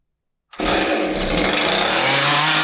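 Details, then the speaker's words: Husqvarna 543XP chainsaw whose owner misadjusted the carburetor with online adjustment tools and now bogs: fires up to a ragged, unsteady scream that won't settle or run properly; carburetor mixture misadjusted. "garbage. Sounds like garbage. Won't even run."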